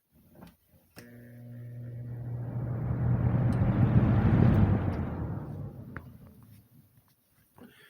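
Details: 2006 Lasko 3733 box fan, about 17 years old, restored, switched up to high speed: soft steady whoosh of moving air that rises and fades over a low even hum; normal smooth running on high.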